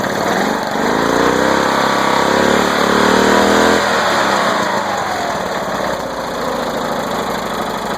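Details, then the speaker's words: Flow Jet mower engine on first start after being flooded with mossy dirty water, only the starter cleaned; it picks up, revs unevenly, then settles into a slightly rough run while still kicking out leftover water. "All that water kicking out of it. Alright, here she goes. She's running. Still putting a little bit."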